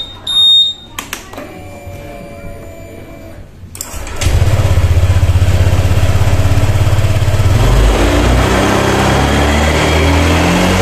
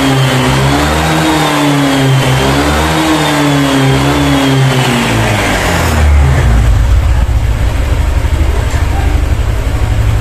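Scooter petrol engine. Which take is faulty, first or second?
first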